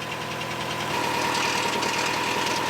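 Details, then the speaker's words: Free one-owner Subaru Outback XT turbo, engine idling outside in cold weather after new battery: steady idle with a clanky metallic rattle; owner suspects rusty exhaust, failing turbo or engine bottom end; knocking rattle at idle. "It doesn't sound too good. Sounds a little clanky, a little rattly. Could be the exhaust, could be the turbo that's eating itself alive maybe? Or it could be the bottom end of the engine."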